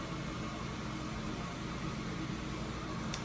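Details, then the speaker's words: A.O. Smith Cyclone BTH 120 condensing water heater after an ignition failure was fixed, now sparking with gas valve fully open and flame lit: smooth steady airy inducer whoosh, no rattle or bearing whine; inducer running normally. "Inducer motor will stay on."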